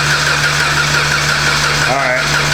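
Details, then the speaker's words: 2015 Jeep Patriot with almost 250,000 miles, towed in frozen and cold, weak battery on a charger. The starter turns the engine over at normal speed but it never catches. Cranking sounds normal, with no sign of a broken timing chain; crank, no start. "that's good so that's what it sounds like yea so even though we just cranked it that little bit uh observation is it sounds normal it doesn't sound like you know broken timing chain or anything"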